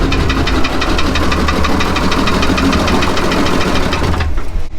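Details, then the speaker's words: Old Gulf Stream boat engine run with all the oil drained out and only water in its place, to see if it makes oil pressure: a loud, steady knock rides over the low engine rumble at a constant rate; bearing knock from oil starvation. "We drained all the oil out >> and we're going to see if it will start and actually run and make oil pressure with just water."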